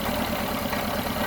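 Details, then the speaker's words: 1974 Honda Civic (series 1, Mk1) running rough; the idle stays lumpy and uneven, and pulling the number 2 plug lead barely changes it, so that cylinder is dead and its spark plug is to be replaced first. "I can remove that and it barely makes a difference. So I know the fault is somewhere in this cylinder right here, number 2."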